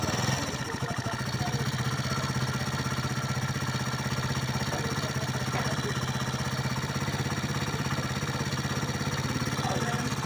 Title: motor fazendo barulho.